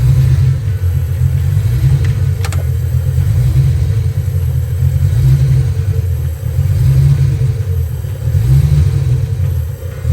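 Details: Ford Foxbody Mustang, after PIP pickup and TFI swaps: deep uneven rumble with stumbling, lumpy beats as it runs and revs; misfire traced to a bad distributor, spare distributor also bad.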